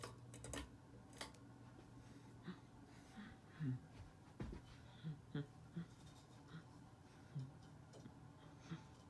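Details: Ceiling fan running: faint hum with irregular light ticks every half to one second. Bearing noise is suspected, not confirmed.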